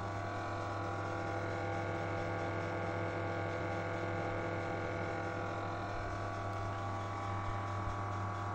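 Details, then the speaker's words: PS3 console at first power-on: steady loud droning hum with buzzy vibration from a worn cooling fan, usually fading after 10 to 15 minutes of running. "Nah tapi yang jadi persoalan saat kita pertama kali menyalakannya ituh bunyinya Itu sangat berisik sekali ya"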